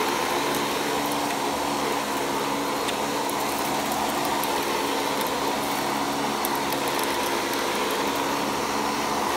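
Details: Panasonic Jet-Flo MC-5155 upright vacuum from the early 1990s, 6.7 A motor, new belt fitted, base plate missing. It spins up to a smooth, constant whirr with a steady airy roar and no knocks or scraping; runs healthy.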